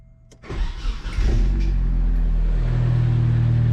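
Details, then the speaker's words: Nissan 240 at first startup after fitting a new exhaust with muffler: the engine catches and settles into a steady, low, even idle with a soft exhaust note, much quieter than before, with no rasp or leak tick. "Oh my god, it's so much quieter. Wow, that's a lot quieter. I can actually hear myself now."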